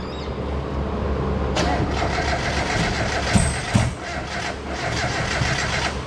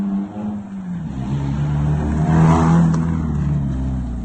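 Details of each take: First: Miata back together, first startup attempt with coil plugs switched onto the wrong coils: cranks, catches, then runs lumpy and uneven with stumbling beats; misfire from swapped coil connectors, later fixed. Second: Mazda Miata, restarted once the swapped coil plugs were corrected: cranks right up into a low, steady, even idle rumble with no misses or stumbles; normal idle.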